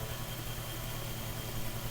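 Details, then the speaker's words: Mainstays 9-inch high velocity fan on high after oiling and blade balancing, moving a lot of air in an airflow test; steady even motor hum with a low whir and smooth airflow, no ticking or rubbing; healthy. "so that's on high speed actually guys i want you guys to hear that again just that distinct sound that that it makes when it runs"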